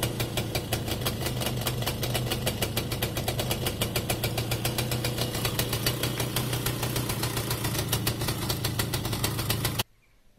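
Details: Romet 2375 two-stroke moped with aftermarket carburettor, quick even popping at a steady slightly raised idle with no hunting; idle correctly set.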